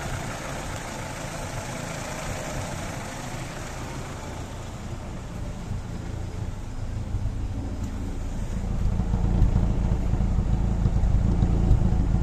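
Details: Daewoo Racer GTI, hot engine at idle: low pulsing, stumbling idle getting heavier and more uneven, engine shaking; unstable hot idle, possibly a misfire.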